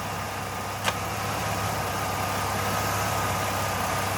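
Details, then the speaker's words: Jeep idling after the loose air filter housing was refitted and secured: a steady, even idle hum with no surging or stumble. The engine runs normally again. "You hear that difference now? The engine is happy."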